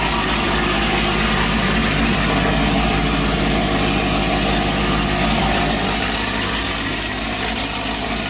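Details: Car with headers and 3/8 exhaust straight out without muffler: steady, very loud idle with deep rumble and raspy bark, even beat; open, free-flowing exhaust.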